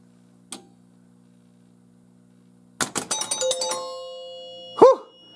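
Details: 1978 Stern Stars pinball machine powered on after repairs to lights, coils and varistor: quiet mains hum, then a burst of clicks and relay clacks, chime tones and a ringing bell. Normal start-up sequence.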